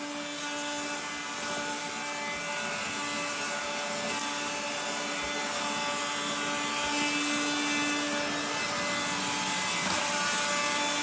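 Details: 1970s blue Regina Electrikbroom 3-speed vacuum, just arrived, vacuuming a floor. The motor and especially the fan are dry after someone washed it. Harsh, gritty grinding sits over a steady high motor whir that never smooths out: dry motor bearings.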